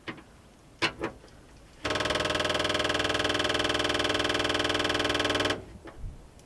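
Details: 1957 Dodge D500 1.5-ton ex-military truck after years sitting: steady ticking at about four per second starts at key-on with a screwdriver in the ignition, runs a few seconds, then stops. The fuel gauge jumped; owner suspects an electric fuel pump priming.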